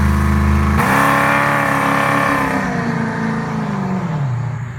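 Engine blips up then settles back, its note slightly uneven and stumbling as revs fall; consistent with a misfire.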